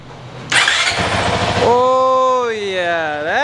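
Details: Honda CRF450X 2023 with only a thermostat delete kit, restart after fitting a Vortex ECU on the stock-exhaust map (map 5): short crank, fires at once, settles to steady idle, then a clean rev blip; normal engine start.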